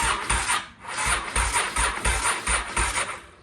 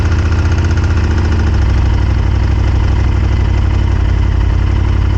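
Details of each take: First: 1998 Honda Superhawk (Firestorm) that kept locking up, cranked on a weak battery: even cranking about three compressions a second, now turning freely instead of locking after two or three turns; cause still unknown. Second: 1998 Honda Superhawk whose engine kept locking up, now running after the carburetors were cleaned, fed from an IV fuel bottle and warming up with steam from the exhaust: an even, steady low idle with no misses or surging; normal idle.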